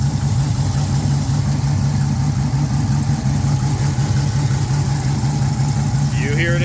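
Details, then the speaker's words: Mopar engine at idle after replacing the noisy idler pulley: a steady, even idle with a smooth low hum and no chirp or squeal from the belt side. The earlier pulley noise is gone. "cuz I don't I do not hear it anymore wow"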